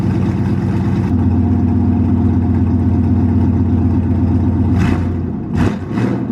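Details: 1998 GMC K2500 V8 after exhaust work with new ball-and-socket style headers joints and spark plugs reinstalled; steady, deep even idle with no ticking or puffing exhaust leak: normal engine idle.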